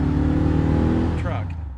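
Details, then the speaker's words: Truck V8 after header gasket replacement fixed an exhaust leak: deep, even rumble that swells briefly then settles and fades, no ticking or puffing; exhaust sealed, sounding back to normal. "that's taken care of it one less problem on the truck so I'm happy to have it sounded back to normal again"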